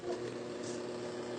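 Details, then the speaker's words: Electric fan on low speed (setting one): a steady hum with a rough, rubbing scrape, confirming a worn motor bushing that needs replacing. "Ayan dinig niyo medyo maingay pa rin. Parang may sumasayad. So ibig ibig sabihin busing nga 'yung problema."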